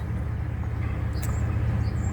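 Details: 2001 Chevy Blazer after replacing the bad MAF sensor (P0103 code) with a used junkyard unit, now staying running and reaching operating temperature: steady low idle rumble with no misses, stumbles or surging; normal idle.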